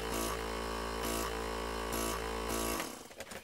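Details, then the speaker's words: Ungar Hot VAC Model 4000 pump after repair of a failure to start; the eccentric-driven pump hums steadily with a quick even pulse, blowing air with some suction, then winds down at shutoff: normal running. "as you can see if we plug it in and turn it on you get a pump that runs blowing air out at a fairly significant pace and has some suction"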